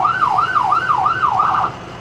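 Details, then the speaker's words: Siren on a Medtec ambulance with 83,754 miles, set to yelp and triggered from the horn: a fast rising and falling wail at about two sweeps a second that cuts off cleanly; it works properly. "Wait, I have to put it to the, let me see. Yeah, there we go. We go yelp."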